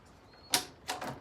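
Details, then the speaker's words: 1989 Kawasaki KX125 gearbox stepped by hand from neutral through first to sixth and back: a few crisp sharp clicks, each gear engaging cleanly without grinding; separately the bike has a top-end knock. "okay so we're in neutral there that's first second third fourth"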